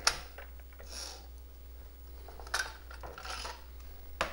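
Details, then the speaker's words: Coleco Adam data drive D after melted encoder wheel repair, trying to load a tape: irregular ratcheting and clattering bursts over a low hum; mechanism binding, further faults beyond the encoder wheel. "you hear that that means there's something else wrong with this dry besides just sometimes it will clear itself"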